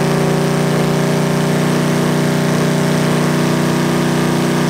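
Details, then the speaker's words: 361 Mopar big-block on a homemade run stand, first start: fast, steady, strong running but it won't idle, with effectively no accelerator pump and a leaking carb bowl; carburetor needs a lot of work. "it sounds good but obviously it won't idle and I've got no accelerator pump really"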